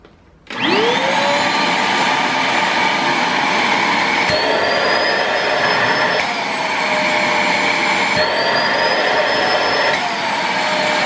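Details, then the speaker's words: Multilaser 2-in-1 1000W vacuum HO03, usually drawing about 350-372 W: intake blocked by hand, whine jumps up in pitch as the motor unloads and draw drops further; strains the motor, which runs warm. "o time ficou mais econômico ainda mas não façam isso que force o motor gente é só uma curiosidade"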